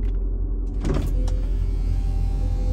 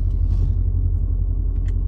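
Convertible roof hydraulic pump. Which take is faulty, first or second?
second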